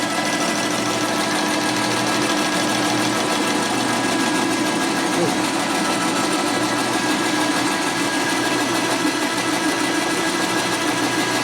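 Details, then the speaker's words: 1961 Harley XLCH Sportster engine/transmission rebuild, machining a part dry for consistency: steady, even cutting hiss with constant hum, no chatter or squeal; the tool is taking a clean, consistent cut. "It's cutting what we want."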